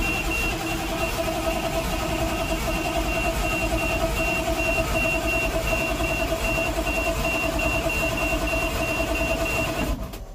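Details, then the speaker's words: 1988 GMC 7000 with naturally aspirated 8.2L Detroit diesel that died while driving; fuel filters changed, no smoke: starter churns evenly, about three beats a second, for ten seconds without catching, slight smell noted; crank no start, governor inspected next. "come on baby she's not happy with sudden got a little smell here we're gonna let that go for a little bit and clear out"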